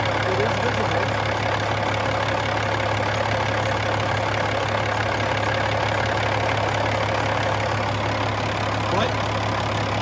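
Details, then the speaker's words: 2007 Peterbilt 386, Caterpillar C13 pre-emission diesel, 13-speed manual, fully hot, below-freezing morning, oil filler cap open: steady low diesel rumble at idle, no surges or knocks; runs fine, decent blow-by for an old truck. "Let's have a listen to it running, and I'll get that oil filler cap off, and we can see how much blow-by is coming out of it. Sounds good."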